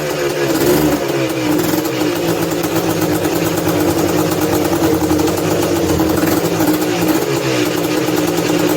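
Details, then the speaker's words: 1986 Honda TRX250R two-stroke started ice cold on choke with a prime kick: fires unevenly and stumbles on the revs, flat and bogging rather than picking up cleanly; cause unconfirmed. "give it two guys can hear how it's like real doggy"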